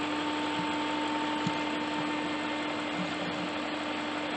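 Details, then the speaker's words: BMW 540i E39 M62TU V8, first start-up after timing chain guide and tensioner replacement: smooth, quiet idle with a faint occasional tick. Owner suspects a sticking lifter in a carbon-laden engine; unconfirmed. "so far so good she's sounding good I've got a little tack once in a while trying to figure out things and lift I think it's a lifter that I'm having the issue with"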